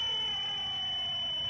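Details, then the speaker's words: 2002 VN1500 electric reversing system powered on and engaged: steady unbroken high-pitched electronic warning buzzer, normal indication. "Right, now power on up top on here. Let's turn that nasty buzzer off."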